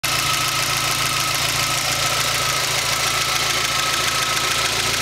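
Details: Rover MG ZR 1.4 16V petrol, hot idle: fast steady tapping with loud hissy background, absent when cold; disappears about a minute after air conditioning is switched on and returns a minute after it is switched off; cause unknown.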